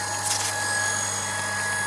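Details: Gianz QB60 peripheral water pump on IBC container/rainwater tank, hose open; even high motor whine at constant pitch with light water rush; pump healthy and running smoothly, no leaks.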